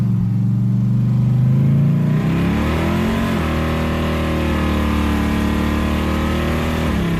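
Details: Worn 305 V8 in an S10, started after sitting six weeks with rats under the hood and the carb refitted: rough, uneven rev and settle with a loping beat; rocker tapping badly and a dead cylinder miss.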